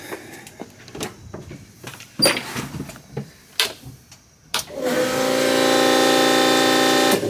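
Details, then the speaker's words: Minivan's new Fuelab Prodigy brushless fuel pump, part 42402, cycled again after a loose fitting leak was tightened: a few clicks, then a loud steady whine held for about two seconds as the pump primes; running normally but loud. "Holy shit. That's gonna be annoying."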